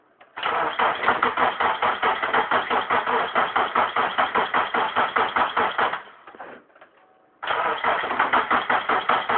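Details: 1998 Subaru Forester after both head gaskets were replaced: steady starter churning about two and a half beats a second, a pause, then more cranking; engine never catches, crank no start.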